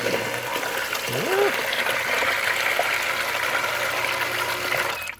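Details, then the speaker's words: Intex PureSpa hot tub pump after removing and reseating the repaired impeller: steady rush of circulating water, even pump note, no rattle; running smoothly. "Okay, that one sounded pretty good. It wasn't too rattly."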